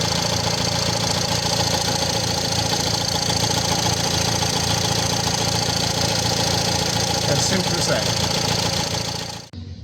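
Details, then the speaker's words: Nissan Qashqai J11 1.6 dCi diesel after fuel filter replacement: steady, even diesel clatter with no misses or surges while checking for leaks; normal, healthy running. "let's see if it starts and say it's running so I'm going to just bring it up to just about 2,000 revs let it sit there for a minute"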